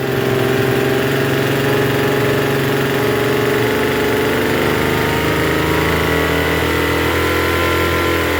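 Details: Troy-Bilt TB272V two-stroke leaf blower after turning the single-D carburetor mixture screw out about one and a half turns: steady, fairly fast buzzing tone that never settles lower; runs but idles a little high, cause unconfirmed.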